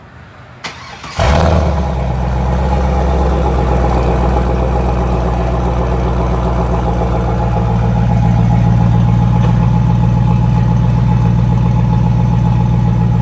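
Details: 2002 Chevrolet Camaro Z/28 35th Anniversary, 5.7L LS1 V8 325 hp, automatic, 18,000 original miles: quick crank and catch, then steady even V8 idle settling smoothly with deep lope; normal start and idle.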